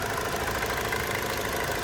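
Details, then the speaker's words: High-mileage 2002 Hyundai Accent at idle, coolant smell present, with a light, quick, regular knocking tick through the steady idle. The source of the knock at idle is not yet found. "I know these motors, I don't know about the older ones, but some of the Hyundais and Kias and stuff, motors were going up before they've hit 100K."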